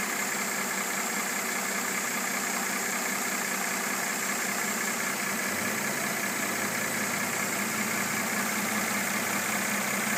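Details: 2013 Mercedes E350 W, described as new, at steady idle: a light, fairly regular tapping of roughly two to three per second over the engine hum; engine knock at idle, origin unknown.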